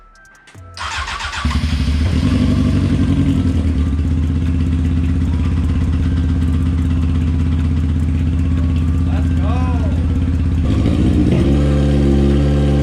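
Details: Honda F4i sport bike stunt build, first start after fuel pump priming and fresh gas reaching it: catches after a brief crank and settles into a steady, even, throaty run with music over it; normal running after start.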